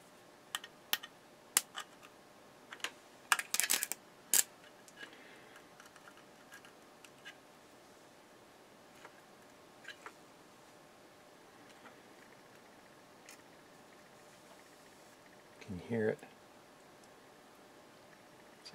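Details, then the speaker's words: Breville BM0734XL microwave oven with power connected: irregular sharp snaps and crackles of high-voltage arcing inside the magnetron's plastic, where insulation broke down, melted and charred; smoke seen. "where is it arcing in inside that plastic that's where it's arcing so that's where it failed right inside there the insulation broke down and it melted inside"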